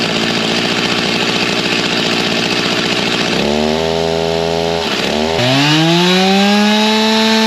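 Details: G366 chainsaw on stock carb and tune, barely broken in with about half a tank through it, baseline dyno pull near 13,000 rpm before carb swap: hard two-stroke scream, brief dip, then clean climb to high even top speed; normal full-throttle run.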